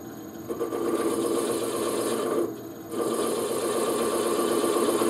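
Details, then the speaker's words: Wood lathe turning a thin workpiece with a flat skew chisel, slowed from 1400 to about 400–500 rpm: even, steady cutting hiss with no chatter, since the lower speed changed the vibration parameters and the workpiece stopped vibrating. "et pourquoi qu'à basse vitesse ma pièce ne vibre plus c'est que j'ai changé les paramètres"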